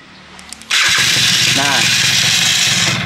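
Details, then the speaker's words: Yamaha F1ZR two-stroke after alarm system install, started via remote by holding the starter about 2–3 seconds. Short starter whir, then it catches straight away and settles into a steady crackling run; a clean, healthy start. "Jadi tekanan tombol starternya agak lama, sekitaran 2 atau 3 detikan seperti ini ya teman-teman nih."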